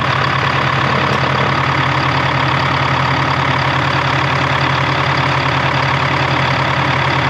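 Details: 1976 Ford F250 with a Detroit 453T two-stroke diesel, first fired up after the fuel system was finished and the fuel tank renewed: a loud, steady diesel clatter with even firing at a fast idle and no misses or surging. It idles healthily.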